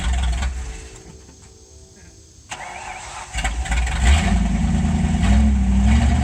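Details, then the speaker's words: Original one-owner 1969 Ford Mustang Mach 1 with a leaking fuel tank, outdoors after coming off the trailer: quiet cranking, then V8 catches and settles into a steady, even low rumble that picks up slightly; starts and runs fine. "So at least you can hear it run and see that it moves under its own power."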